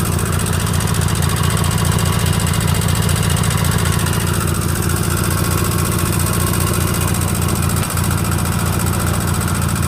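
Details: Sears GT18 garden tractor at steady mid-pitch idle with a light irregular tick from excessive clearance on the left intake valve; valve not yet replaced.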